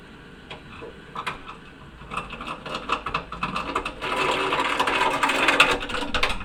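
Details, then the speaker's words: Navien water heater, outlet set 120°F but reading about 90–105: irregular sharp pops and ticks, roughly two a second, getting busier as the blower slows and fading when it runs harder; burner popping on ignition. "And the blower is slowing down. There's a lot of popping."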